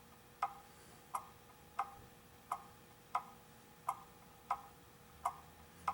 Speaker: okay what's happened is it's out of beat and i pushed it the wrong way